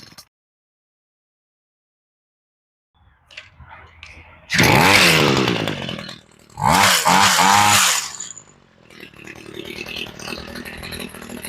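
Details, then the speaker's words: Homelite Mighty Lite string trimmer two-stroke with replacement carburetor, after sitting a long time, choke just turned off: after two sharp revs drops to a weak, ragged idle that nearly dies; otherwise sounds okay, idle screw set too low. "Okay, we need to turn the idle up just a touch."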